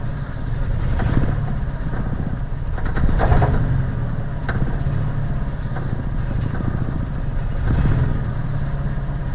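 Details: Honda F22A1 engine: low, uneven beat with the idle wandering and a couple of short revs; lumpy, unsteady rough idle, cause unclear.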